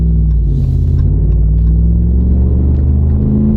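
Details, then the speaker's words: Ram truck road test, hard acceleration on a straight with traction control kicking in: deep even rumble under load, no clanging or rattling, smooth shifts; engine sounds healthy. "sweet ony engine no clanging rattling and here we go to the drug strip there's nobody behind us so we'll for it traction control kicked in shifting good smooth shifts sounds great"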